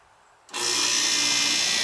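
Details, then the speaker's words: AC unit whose compressor previously would not start, now with a hard start kit added and still charged with freon: silence, then the compressor kicks on cleanly and settles into a steady hum with fan rush; normal start and run. "i put i put a hot stock kit on it and the compressor's starting now listen and it's got freon in it so it's not flat listen"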